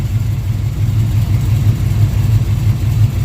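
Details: Petrol engine idling with a steady low rumble after fitting a heavy-duty green belt and replacing the pulley; no chirp or squeal from the belt.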